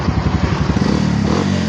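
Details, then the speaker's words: Kawasaki Barako single-cylinder after tune-up, carburetor cleaning and new air cleaner, previously hard starting: kick-started, steady even thumps at idle with no misses or clatter; normal start and idle. "O ayan oh. Okay na yung motor ni Tatang."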